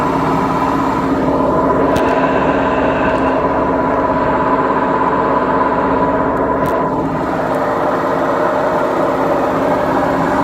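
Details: BEKO washing machine, 7 years 8 months old, during spin: loud, steady droning roar with hollow rumble from worn drum bearings.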